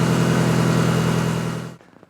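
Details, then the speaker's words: 1954 Ford F600 car hauler after rerouting the exhaust away from the trunnion arm bolt and fixing a leak: smooth, even, much quieter engine note with no puffing or ticking, then shutoff; normal sealed exhaust. "So let's start it up and see what it sounds like. Much quieter. Much quieter."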